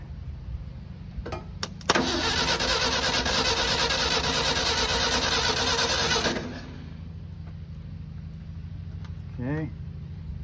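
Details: 1975 Ford F250 flatbed (year believed) long abandoned among trees, with ignition hooked up; starter churns even compression beats about three a second for four seconds, then stops without catching: cranks but won't start. Cause not confirmed.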